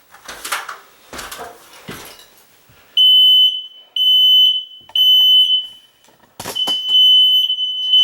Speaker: Okay, so that means all of the smoke alarms in the house are fully working.